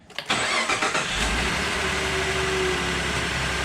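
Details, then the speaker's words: 2014 Ford F150 3.5 EcoBoost, about 91k miles, after new plugs and coil packs for a P0303 cylinder 3 misfire: quick start into a steady, even idle with no stumble or vibration. "And it already sounds and appears to be idling much smoother. No vibration like it was before. No stumbling."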